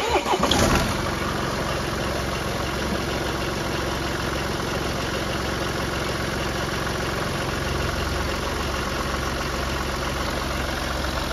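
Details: BMW 116d after replacing the squeaky auxiliary belt and tensioner: after a short start the engine settles into a steady, even idle with no squeak or chirp from the belt drive, so the fix worked.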